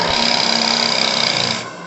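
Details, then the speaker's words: JMC Petit Cheval donkey steam pump, first ever run at 2 bar (30 PSI), not primed: rapid even chuffing under steady steam hiss, about twenty beats a second, then winding down; steam side self-starts and runs cleanly. "Oh là là. Donc elle est bien self-starteuse, vous voyez."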